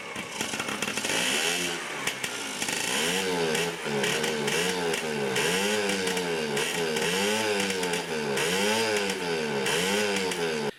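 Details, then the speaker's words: Yamaha QT50 moped (78 or 80) on first kick with choke, 40:1 premix, possibly wrong spark plug: surges and sags in uneven waves about once a second, never settling to idle; intermittent spark later blamed on a faulty charge coil. "She's running, but not very good. I almost think it's the wrong spark plug in there."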